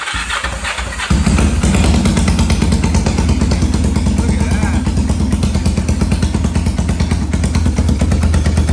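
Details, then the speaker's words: 1991 Kawasaki Ninja 500 engine in a 500cc mini bike, started after rejetting the carb, fed from a temporary fuel supply, no muffler: very loud raw bark catches, then runs choppy and uneven and hesitates when revved; cause not confirmed. "I think it's still running way too lean because it gets hot really quick and it doesn't like to rev up perfectly. It kind of like hesitates."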